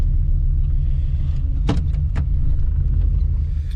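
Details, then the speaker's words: 1985 Chevrolet C30 dually, LS-swapped 6.0 V8, after new fuel pressure regulator and cleared codes (system 2 lean bank 2): deep idle rumble with uneven stumbling beat and sharp clicks; definitely missing, owner suspects bent valve, pushrod or rod. "Well, it most definitely is missing. So maybe if you got a bent valve or bent push rod or bent connecting rod, it doesn't throw a code."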